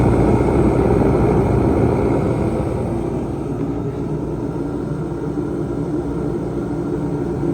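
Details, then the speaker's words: Mr Heater 125,000 BTU diesel forced-air heater, a few years old with heavy mice damage, running after filter cleaning and blowing out debris: steady, even roar with smooth low rumble, no sputter or surging, not overpowered; normal burner operation. "sounds good doesn't sound overpowered a good steady uh Blaze if you will"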